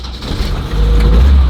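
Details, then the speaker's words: BMW 2002 restarting after a quick install with no fuel leaking. The engine catches with a heavy low rumble that surges and stays uneven, plus an odd noise of unknown source. It runs better but rough, and the idle screw still needs adjusting. "I don't know what that was, but it is running now. I'm gonna have to adjust my idle screw, but it's running better. Yeah, doesn't sound that great."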